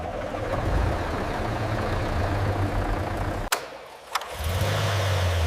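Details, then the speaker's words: 1974 Porsche 911 Carrera 2.7 RS air-cooled flat six, first start after full restoration and engine rebuild. Catches and settles into a steady, even idle after a brief dip, no knocking or ticking. Normal start and idle; all cylinders working together, no leaks. "flat six breathes on its own once more. We listen for anything out of place. Each cylinder now works together."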